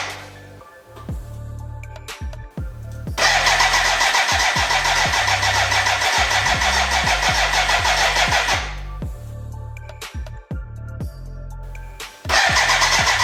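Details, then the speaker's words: BMW K100 café racer build, first start attempt with fuel in and oil pressure confirmed: starter churns in long steady bursts but never catches; no fuel getting through, crank no start. "uh yeah let me update you what i have found out so far there is a fuel problem now it's connected to the tank but it's damn dry so now yeah i have to figure out why"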